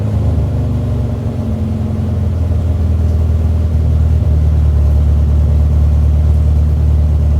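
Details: Mini engine with a deep, even rumble, no hunting or surging, revving smoothly; runs normally after replacing disintegrated rubber vacuum elbows on the MAP sensor and air bypass sensor that had put it in limp mode.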